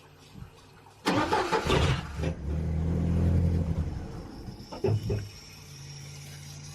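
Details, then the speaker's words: Upright AB62RT gas boom lift, sat over a year, fed by siphoned fuel from a jug without inline pump: fires, runs unevenly about four seconds, then stumbles and dies with coughs; fuel starvation. "the longest that it's run I'm out of fuel that way"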